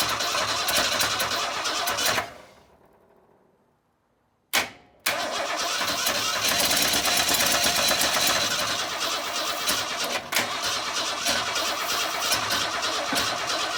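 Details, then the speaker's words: 1962 Ford Falcon inline engine without a carburetor, on starting fluid after wiring the coil direct and sanding the points: cranks, stalls to silence, then fires and runs fast and uneven with ragged beats. Rough running, trying to run wide open; maybe not all cylinders firing. "I don't know what all cylinders are firing but well guys I think until I get the carpet on it that's about the best I can do because obviously it's trying to run wide open"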